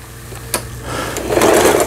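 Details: Lion Mising–sold Janome SS308 sewing machine from 2011, after repair (auto-threader replaced, upper thread tension set 4–5); quiet start picking up to a smooth even fast whir with steady stitching, no knocking, sewing normally.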